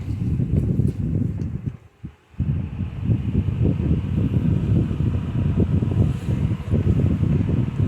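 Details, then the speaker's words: 2014 Lasko 16-inch table fan model 2506 after cleaning, power cord repair and replacement motor, on medium speed: steady low whoosh of air and soft even motor drone, no ticking or rubbing; good speed increase, runs normally. "Has a good increase in speed, but this is a high already on some fans."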